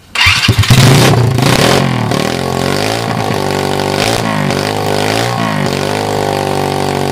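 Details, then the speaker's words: 2007 SSR pit bike with a $25 eBay carburettor, running on choke: it fires and revs, then leans out and hunts toward a stall as it drops to idle. The owner suspects a vacuum leak at the intake and spacer gaskets. "when I let it idle down it kind of kind of leans out and stalls out and by the way that whole time it's running with the choke on"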